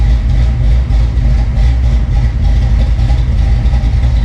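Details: Retro Fox V8 after swap to 170cc SVE aluminum heads, cooling system not yet filled: deep, steady idle with firm low rumble and no knocks or ticks; healthy, even running.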